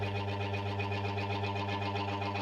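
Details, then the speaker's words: Washing machine motor that got wet, one side won't spin: steady low electrical hum with buzzy edge, no spin build-up; other side turns slowly; motor is faulty and needs rewinding. "Tetap dengung sebelahnya, yang sebelah muter biasanya, tapi pelan tuh. Jadi udah jelas ini mesinnya t"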